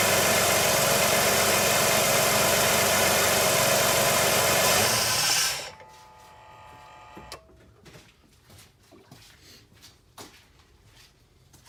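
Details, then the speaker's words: 2005 Jeep Liberty idling just after alternator replacement: steady, even hum with no knocks or squeal, much quieter than before; battery reads over 14 volts, normal idle. "Nice and quiet, a lot better than it was before."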